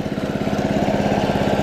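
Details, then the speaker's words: Early-1980s Snapper Series 6 six-speed self-propelled lawn mower gives an even, quick popping beat of about twenty firings a second, with no stumbles or knocks; runs like brand new, purring like a kitten: normal idle. "I pay 300 for this and it runs like brand new listen disappearing like a kitten"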